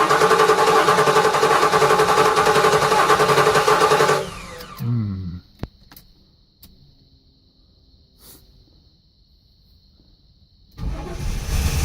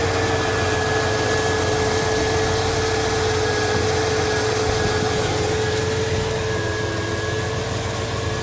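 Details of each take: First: 1983 Buick LeSabre wagon with swapped LT1 V8, first start, no serpentine belt: fires and runs smoothly about four seconds then cuts dead. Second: 1983 Buick LeSabre wagon LT1 swap, idling after a faulty part was replaced: steady, even idle with constant low hum and faint steady whine; no misses, knocks or hunting, engine healthy.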